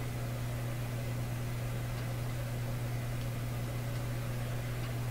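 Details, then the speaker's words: Canadian Admiral J104X/J105X console radio tube amplifier, warmed up after adding an extra filter capacitor, mic right in front of the speaker: a constant low mains hum under faint hiss persists. "how much hum is that I mean it's definitely there it can certainly hear it"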